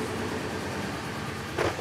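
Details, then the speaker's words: 1999 Ford F-150 V8 with waste-spark coil packs, still misfiring after new coils: idles with an uneven stumbling beat, a constant bad miss; suspected coil failure damaged an engine computer driver. "Let's start it. Listen to it. Oh, bad miss. Bad miss. Bad miss."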